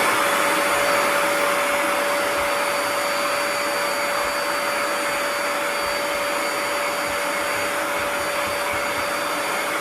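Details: Bissell ProHeat 2X Revolution Pet Pro carpet cleaner, switched on with the red side button, vacuuming up crumbs: steady even motor roar with a constant high whistle, no surging or rattles; suction running normally.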